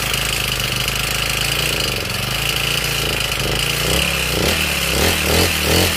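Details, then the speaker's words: Honda GX35 four-stroke lawn mower engine, over 10 years old, after coil gap (0.20 mm) and exhaust valve clearance adjustment: loose rattly clatter at idle and when blipped, slightly reduced; mechanic attributes it to worn piston rings, a loose engine. "แต่ที่ดังที่ดังแบบนี้ก็เข้าดังแหวนนะครับ"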